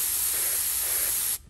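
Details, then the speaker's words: Carburetor accelerator pump passage blown through with a blow gun while a finger covers and uncovers the side: steady, high, airy hiss that changes when the finger lifts and cuts off cleanly. The passage is clear. "you can hear that difference when I take my finger off it's telling me that I got a clear passage"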